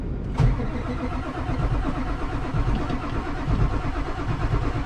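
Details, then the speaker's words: Old vehicle on a snowy morning: a steady, slow cranking beat goes on for seconds without catching while the pump draws fuel up. Owner says air is getting into the fuel system somewhere. "see that's it pumping fuel up that's not it struggling to start that's just it trying to pump fuel up so there's a there's air intrusion in there somewhere"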